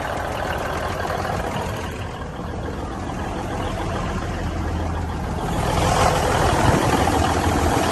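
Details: 1971 Peterbilt 352 turbo diesel, long unstarted, running on fresh diesel through a new fuel line and filter; steady beat with faint unevenness and throttle surges, a slight miss, throttle very touchy, turbo working.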